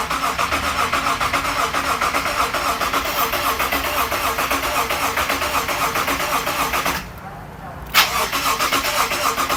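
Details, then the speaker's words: Freshly resealed Subaru EZ30 H6 in a Liberty wagon, cranked with the fuel pump disconnected to prime oil pressure and check for leaks: steady, even starter crank at about four beats a second with a brief pause, no firing; normal cranking. "You want to get some oil pressure before you start something like this. So let's give it a few cranks, check for leaks, and then hopefully we can start it up."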